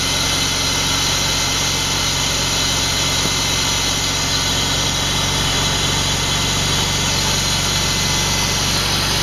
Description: Rough idle on 2000 328i, bad intake boot?